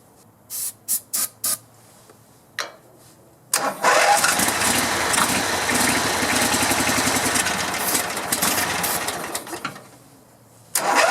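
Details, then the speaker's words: Grasshopper zero-turn mower, 16hp Vanguard V-twin, after no-spark ignition repair and carburetor and fuel tank cleaning; a few taps then catches, smooth even run, fogging oil burning off; normal running. "Boy, that's a smooth running engine. Like I said, I put fogging oil, and you saw me, in the cylinders. So that's what's burning off there."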